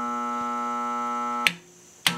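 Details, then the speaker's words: Capacitor-start induction motor with the start capacitor disconnected: steady buzzing hum with no spin-up, then a click and it stops; motor stalled and humming, would eventually burn out. "speed you could learn just sits there in homes because the capacitor just the phasing of it it makes the motor start spinning in one direction it's kind of hard to explain now since the capacitor is unfair he'll sit there and home all day and eventually burn herself out"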